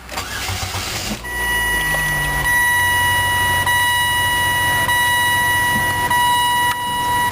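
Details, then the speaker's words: 2003 Saturn VUE AWD: about a second of cranking, catches promptly and settles into a steady even idle; starts easily, normal start and idle. "it STS very easily"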